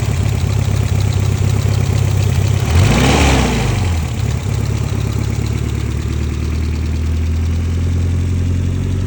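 Idling four-cylinder with a brief rev blip, a light irregular tapping riding over the idle; knock present but source not pinned down. Cause suspected, not confirmed.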